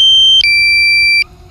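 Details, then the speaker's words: DJI Mavic Air controller in flight: two sharp high beeps, a short one then a longer lower one. This is the low battery warning, about five seconds before the drone auto-returns home. "this beeping is so annoying but it pretty much saves your drone when I have my first drone I wouldn't listen to this beeping battery level is low"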